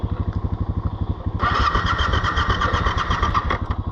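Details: Yamaha Ténéré 700 left in 90s°F sun with hot engine: even cranking pulses about four per second, then sputters up unevenly with a ragged note; hard hot start, owner suggests opening and closing the fuel cap helps.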